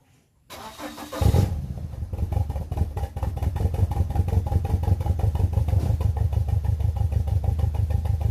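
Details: BMW E46 318i N42 petrol engine cranking and idling with one dead ignition coil: rough, uneven stumbling idle, misfire.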